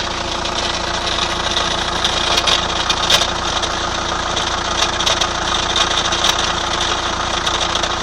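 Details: 2003 Chrysler Voyager 2.5 CRD diesel near idle with clatter, uneven sharp ticks and a hissy top end; abnormal engine noise, cause undetermined.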